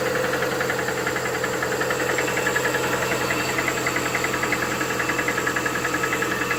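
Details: Lada Vesta 1.8: steady metallic tapping about three or four a second over a cold idle; engine knocks when cold.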